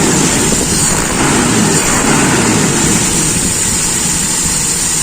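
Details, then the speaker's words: Toyota Kijang Super (Grand 5K engine) with a newly bought original carburetor, idle speed raised and air screw adjusted: rough, slightly uneven idle pulse of about three beats a second; idle still unstable, owner suspects the PCV hose is leaning the mixture. "nah ini knya enak at ini sepertinya masih ada masalah"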